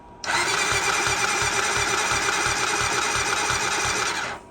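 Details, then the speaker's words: 2008 Honda TRX400EX ATV run out of oil, melted piston, heavily scored cylinder, valves inspected OK: fast even starter whir with soft uneven pulses and no firing; almost no compression, suspected broken or stuck rings. "I did previously inspect the valves all of that stuff's working properly but there is almost no compression um the guy said he was riding it and it just quit and this is where we're at"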